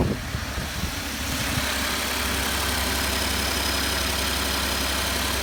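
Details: 2012 Ford F-150 XLT 3.5L twin-turbo EcoBoost, about 64,000 miles, cold restart after exhaust manifold gasket repair: catches and settles into smooth steady idle, no ticking or puffing from manifold; only injector ticking heard, much cleaner than before.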